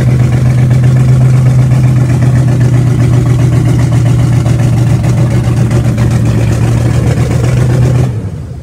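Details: Car "Betsy" after camshaft break-in, new starter, new fluids and filter: uneven, lumpy idle with loose clatter that suddenly dies after about eight seconds; rough idle and stalling, owner suspects a vacuum leak but is unsure.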